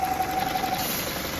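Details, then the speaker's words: Toyota 5S-FE engine with a whistle and hum: fast, light chattering at idle with a thin steady whistle at first. A previously installed new PCV valve is not working. Faulty PCV valve chatter. "Всему виной вот этот клапан. Его кто-то поставил новый, скорее всего, уже не рабочий."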